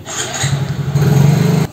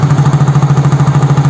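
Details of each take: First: Soul GT fuel-injected scooter (same engine as Mio J): runs, stalls abruptly, restarts into uneven pulsing idle; plugs, coil, injector, compression, throttle body, fuel pressure all fine; scanner barometer read 85 kPa instead of 95-103; faulty MAP sensor. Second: Yamaha Soul GT fuel-injected scooter (Mio J engine) with stalling complaint, warm at 80 °C: steady, even idle putter with no stumbles or misses; scanner shows barometer 102 kPa, normal idle around 1500–1600 rpm.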